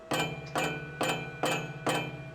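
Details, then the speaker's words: Ford Mustang GT with Coyote 5.0 V8, noise seemed tied to deceleration: five sharp ringing metallic clacks about two per second, not just exhaust sound; exhaust header primary tubes contacting each other. "Now, Cody was able to replicate this noise, and you'll probably hear it here if you listen closely. There's a metallic clacking that isn't just from the exhaust."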